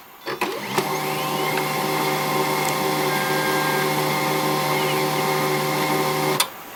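Steady mechanical hum from the running printer with a thin high squeak riding over it; squeaking feed mechanism, cause unclear.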